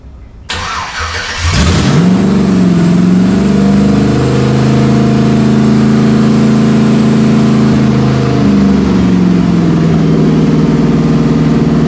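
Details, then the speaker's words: Chevy OBS C1500 Silverado V8 just fired on newly installed Holley Terminator X Max EFI: catches, flares, settles into high slightly hunting idle with faint hiss; pretty gnarly vacuum leak somewhere. "don't all right we got a a vacuum leak somewhere pretty gnarly vacuum leak yes sir"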